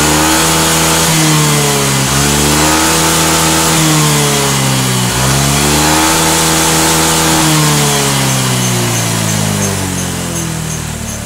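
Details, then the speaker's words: Motorcycle after adjusting the TPS sensor position with engine running to remove stuttering: repeated clean throttle blips rise and fall evenly with no stutter or popping; fault was only the TPS setting. "nah ini aman ya berarti untuk motor ini permasalahannya adalah cuman di bagian sensor TPS ini yang tidak"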